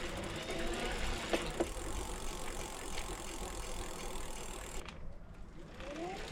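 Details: Mahle ebikemotion X35 rear hub motor on a Ribble CGR AL e, ridden on all power settings and climbs up to 12%: soft hissy hum with faint rising whine and light freewheel ticking — normal running noise.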